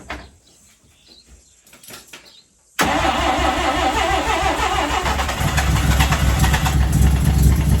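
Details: Mazda 323 with Bridgeport-ported 13B turbo rotary, first start after diagnosis, vacuum lines refitted and a small fuel rail leak adjusted: brief cranking, then catches cleanly into a steady, even, buzzy idle with no misses or knocks; normal start.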